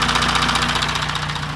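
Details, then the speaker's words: Audi Q7 4M 3.0 CVMD 2016, about 170,000 km, idling, listened near the chain tensioner before teardown. Fast, evenly spaced light ticking over the idle; chain stretch being checked, tensioners to be replaced. "клиенту не нравится стук под моторным отсеком, особенно когда проезжает мимо стены, где-нибудь мимо забора, он отражается и слышно его."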